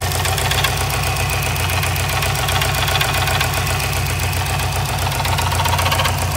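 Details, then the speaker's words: Subaru WRX STI idling: hard, regular knock about four times a second over the idle; suspected rod knock or ringland failure, later traced to the timing tensioner. "oh I have confirmed my suspicions about the knock"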